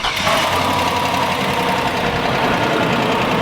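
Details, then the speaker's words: LS V8 truck idling just after first start-up with a light quick tapping from a sticking lifter, not an exhaust leak; oil pressure high on cold start, throttle blips unstick the lifter. "When you whack the throttle, it unsticks the lifter. Yeah. So I'd say this is not bad at all for how bad the lifter can start beating. So this is what they sound like."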